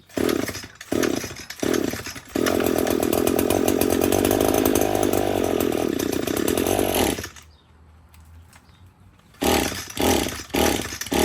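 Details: Echo SRM-225 two-stroke string trimmer that runs only on full choke, refired after a carburetor rebuild; screams at high revs, drops almost to nothing for two seconds, then catches and surges again, and the rebuild did not fix it.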